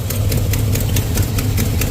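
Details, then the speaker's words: 1989 Dodge D100 with 318 V8 and Borla exhaust, not fully tuned: idle with a sharp, regular tick about four to five a second from the rear of the header; exhaust header leak needing header bolts tightened. "So you can hear a little exhaust leak up here still. I'm gonna have to tighten some header bolts up, but she's a runner."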